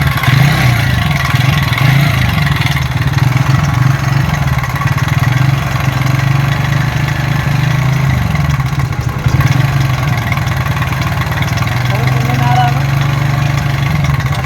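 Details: TVS Ntorq 125 BS6 scooter at only 2614 km, before repair: loud metallic clatter over the idle beat, steady at idle; a mechanic said the noise is inside the engine, and the timing chain tensioner is to be checked.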